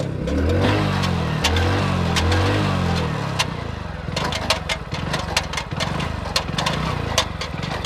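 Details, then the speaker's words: New 2023 Hero Splendor Plus BS6 motorcycle, only 642 km, revving in second gear: sharp, irregular ticking that quickens with speed. The owner blames a faulty gear sensor and also suspects a chain problem; source unclear. "दोस्तों, अभी जो टिक-टिक की आवाज़ आपने कि इस motorcycle को अभी तक केवल 642 किलोमीटर ही चलाया गया है, और इस नई बाइक में ही एक सेंसर खराब हो गया है। इस गियर सेंसर में खराबी आ गई है।"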